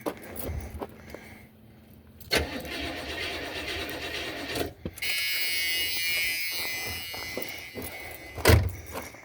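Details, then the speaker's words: 1977 Buick LeSabre with HEI distributor, refilled after sitting with varnished fuel: starter churns in bursts of a few seconds but engine never runs on its own; crank, no-start, fuel squirting and spark assumed, owner suspects the carburetor. "Why is she not running like she should be? I don't know. I mean, see, HEI distributor, so I know it's firing."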